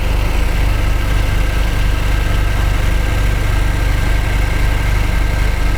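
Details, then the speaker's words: 2015 Jaguar XF 2.0L four-cylinder with a flashing check engine light, idling while cylinders are disconnected one at a time; disconnecting number one changes nothing: a low, lumpy, shaking idle. Dead cylinder one misfire. "hopefully you can see the shaking and disconnecting number one does nothing"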